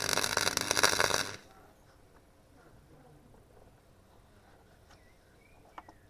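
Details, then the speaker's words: Clarke Pro 90 MIG welder on thin 1.5 mm sheet at a high power setting: a brief harsh crackle that sputters unevenly instead of a steady bacon-fry sizzle. It penetrates through the back, but the sound is inconsistent, so power is lowered one step. "It's certainly pulling up on the back, getting it's not the sound wasn't consistent really, so I'm just going to lower the power levels to the next one down."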